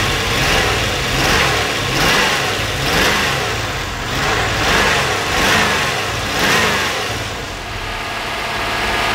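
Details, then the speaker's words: 1992 Corvette after exhaust repair, started and revved: blips rise and fall cleanly with no stumble, sounding much better, though a miss is still heard afterward. "i'm gonna start it it should sound a lot better"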